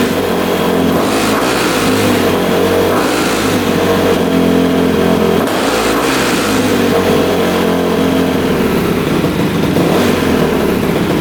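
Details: Rebuilt 2006 Honda CRF250R, apparently the first start since the rebuild after adjusting the throttle screw: single-cylinder thump at steady idle, crisp blips climbing and falling cleanly; responds evenly to throttle.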